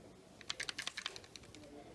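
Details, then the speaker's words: Samsung Galaxy S20 Ultra shaken by hand: a short burst of light, dry clicks from the floating camera lens stabilizer rattling, which is normal. "the camera bump since like the camera counteracts your hand movements it does have this weird rattling sound if you can hear that"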